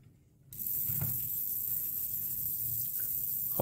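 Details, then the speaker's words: Ultrasonic device power board at switch-on, fan running: a steady high buzz starts. A loose transformer core is suspected, to be fixed with hot glue, or possibly failed capacitors; not confirmed. "اینا رو باید به کمک چسب حرا حرارتی محکم کنیم تا این صدای وزوز از بین بره ولی احتمال داره خرابی این خازن‌ها هم دلیل باشه"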